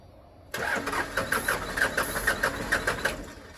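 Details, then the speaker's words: 1996 Dodge Ram 2500 12-valve Cummins diesel, sat seven years, cranked after ether; starter churns in even compression pulses about two a second but never fires; old fuel lines drained, fuel may not reach injectors; crank no start. "yeah it's just the old fuel lines drained out don't know if we got to B injectors or not"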